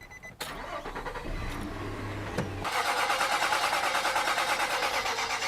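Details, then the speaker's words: Nissan Titan with rebuilt VK56 engine, cranking with fuel pump fuse pulled on jumpers: even starter churn about three beats a second, no firing or knocks, until oil pressure shows and warning light goes off. "all right we went until we saw a little bit of uh pressure on the gauge and the oil pressure warning light turned off"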